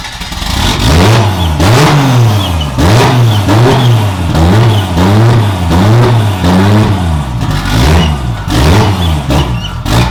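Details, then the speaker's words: Budget 2JZ-swapped BMW E36, first run after fixing leaking oil cooler lines at the sandwich plate: engine blipped about every second, revs sagging toward stall between blips. It won't hold idle unaided. "yeah we need to fix the idle because it's really annoying trying to rev it up and keep it idling while trying to put the gears"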